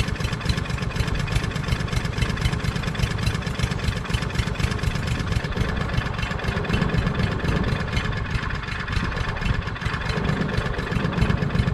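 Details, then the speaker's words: Craftsman push lawn mower with a Briggs 550EX engine, stored all winter, fresh gas, nothing repaired, carburetor dripping gas: small single runs lumpy, stumbling and surging; carburetor needle suspected stuck; rough running, sputtering. "so something's sticking the needle's probably stuck so it's sputtering"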